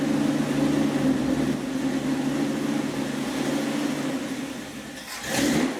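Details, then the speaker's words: 1976 Dodge Dart V8 warming up at idle on a freshly rebuilt Edelbrock carburetor that replaced a 780 vacuum-secondary Holley, mixture screws just adjusted; slightly lumpy loping beat from a mild cam, otherwise steady and even; healthy. "that's not really too bad this has got a little bit of a cam in it that would be in a stock engine it might even idle smoothly"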